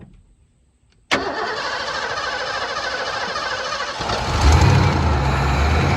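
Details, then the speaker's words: 1988 Ford F-250 EFI truck after sitting over a decade, with fuel poured down one intake hole. Silence, then a crank and catch, and the engine settles into a steady, even run, picking up slightly as it's fed: engine starts and runs. "Hey, it seems to run."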